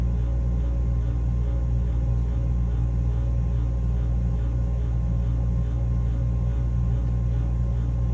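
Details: Furnace running with loud constant low drone, steady hum and faint rough grinding underneath, unchanging; capacitor tested OK, cause unknown.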